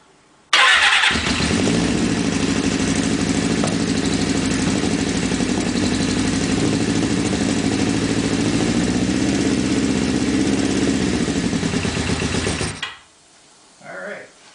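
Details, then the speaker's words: Suzuki GS550 four-cylinder, first start after engine reinstall following oil-leak repair, with starter fluid: catches at once and holds a steady, even idle about twelve seconds before shutdown; normal start and idle. "That's all we're going to do right now, but we got it to start and run, so it's definitely a good thing."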